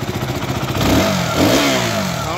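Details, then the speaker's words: KTM Duke 200 after service and throttle body cleaning, which previously barely started and misfired badly: engine picks up and drops back smoothly through blips, steady firing, no misses; normal revving. "भाई बहुत ही प्यारा sound देखो अब कोई missing नहीं है भाई गाड़ी में"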